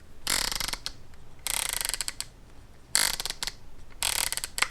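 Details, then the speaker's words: Viltrox 85mm f1.4 Pro aperture ring, compared with the Sirui 85mm f1.4 Aurora: quick bursts of crisp, evenly spaced, firm detent clicks. Ring can be clicked or declicked; it feels sturdier and more precise, with resistance just right. "Aperture ring. Both of them have it. My favorite feature. And it can be clicked or decllicked."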